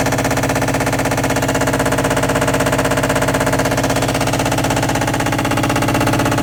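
Very even rapid pounding, about three beats a second, with a hard rattling edge during spin; loud spin noise, cause unknown.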